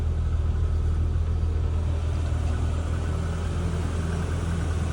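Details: All-original 1988 Toyota Hilux Surf wagon, cold start after sitting two or three days: low, steady, even idle rumble with no knocks, misses or whine; normal cold idle.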